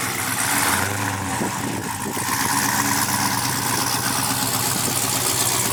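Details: Brand-new supercharged GM LT4 V8 with CVF pulley kit, swapped into a 1971 Chevy Chevelle convertible with new exhaust, finished build: a deep, even idle with a steady exhaust throb, no knocks or misses. Normal, healthy idle.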